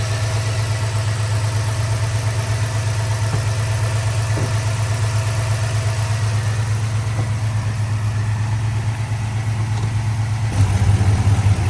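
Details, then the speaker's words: 2022 Ford F-250 7.3L V8 after engine rebuild for hydraulic lifter and camshaft noise: deep, steady idle with an even hum and no ticking, running well. "Ahí está funcionando al máximo."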